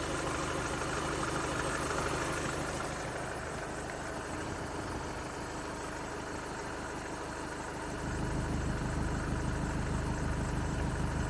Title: skoda octavia a7 1.6 tdi 2016 strange noise related to belt